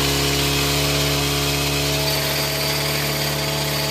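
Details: Green Farm four-stroke brush cutter, blade checked straight and nut retightened: steady even high-speed drone with no wobble or shudder, vibration fixed.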